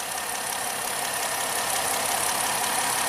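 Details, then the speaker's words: 2010 Ford Fusion with an intermittent misfire, PCM replaced, idling with a scope on coil 4 and injector 4: steady, even hiss and hum with no stumbles, running smoothly for now before the misfire returns under load. "You know, right now it's perfect. So you just let the scope roll so we don't miss any data. Sounds very nice and smooth."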